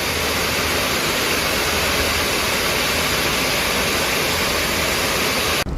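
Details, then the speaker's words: HP Omen 2022 laptop (i9-12800HX, RTX 3070 Ti) with fans at high speed: loud, even rush with a faint thin, sharp whine on top, judged acceptable and much better than the Omen 8 Pro. The fans whine. "风扇在高频的一个转速下，依然可以听到一点点的尖锐啸叫，但是这完全可以在我个人接受范围之内，明显会比之前的暗影8 Pro 好太多了。"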